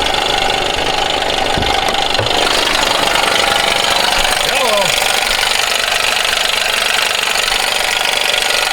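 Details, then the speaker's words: GMC 1500 5.3 V8 at 154,490 miles, owner reported a little tick: loud, uneven knocking at idle, two to three raps a second, from the accessory belt drive, not manifolds; failing belt tensioner, whole tensioner assembly replaced. "He said he had a little ticking in the engine. I didn't know. This thing sounds like it's ready to come unscrewed."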